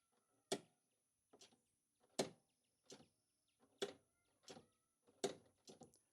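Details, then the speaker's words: Club Car DS golf cart that won't start: crisp starter solenoid clicks in pairs about every 1.6 seconds, but the starter never turns; solenoid clicks yet passes no current, so it is bad. "It's clicking, but there is no pass-through current. So we have identified that the solenoid is bad."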